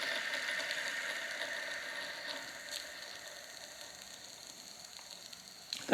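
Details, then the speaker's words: Wilesco T115 model steam turbine, shaft turning counterclockwise, with a leaky whistle; steady airy hiss with a light high whine and no knocks. Very little vibration. Normal running. "just a really interesting sound. And there is extremely little vibration as you would expect."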